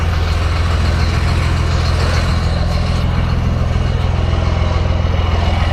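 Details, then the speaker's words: 1994 Cummins diesel (P-pump) with over-advanced timing and extra fuel, now warmed up after a 22-degree cold start: deep, even clatter at steady idle, no stumble; smokes only when cold, runs clean once warm. "you can see once it warms up it's really nothing it's just it's just when it's cold you know it's you can't uh can't burn the fuel we got no heat"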